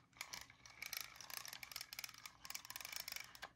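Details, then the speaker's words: DAM Quick 101 spinning reel after cleaning, floppy-handle fix and greasing of the anti-reverse: light, soft, even clicking with no harsh grinding as the reel turns; anti-reverse ratchet quieted and working normally. "because of that grease that we put on that anti-reverse they quieted it down"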